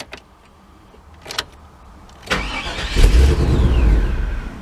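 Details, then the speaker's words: 1998 GMC OBS truck with intermittent starting issue; short crank, engine catches and revs briefly then dies as anti-theft light blinks and fuel pump seems to cut off and on; owner suspects wiring that responds to wiggling. "just like that. The anti-theft comes on, blinking lights come on, it sounds like your fuel pump is shutting off and on."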